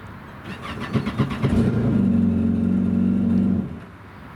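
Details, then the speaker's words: Yamaha FZS waverunner (blue unit, working key fob), compared against a red one that won't start: catches right away, rises smoothly through a clean rev and settles evenly; normal start and revving. "all right now switching over to the blue FCS with the blue key fob to show you how this should work it starts right up show the difference there"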